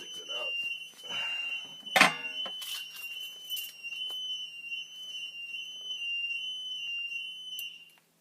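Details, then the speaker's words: Bosch security alarm panel with its case open during backup battery replacement: steady, shrill, pulsing beep amid handling clatter; tamper alarm triggered by removing or installing the battery. "there will be times when the alarm will go off because you know when you pull the battery out or you put the battery in the system is just detecting that someone's tampering with it"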